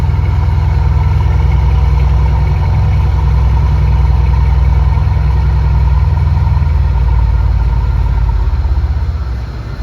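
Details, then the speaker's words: 2015 Mercedes-Benz S63 AMG V8 idling right after a cold start following DIY spark plug replacement (borescope-checked gap and indexing): deep, steady burble, no misses, stumbles or ticking; sounds really good, a clean, healthy idle. "That sounds really good. I don't know if it translated through the camera, but it sounds good."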